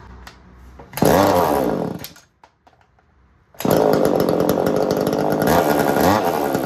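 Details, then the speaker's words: Echo CS-3000 chainsaw, long-neglected estate-sale saw, driving an 80s Versa Tools drill attachment: revs high and ragged, bogging and surging under load, dropping out then screaming back; clutch likely slipping and overheating, owner suspects smoked clutch. "I think we might have just smoked my clutch on my saw that would make sense why I wasn't happy spinning that maybe I should have stopped a little earlier"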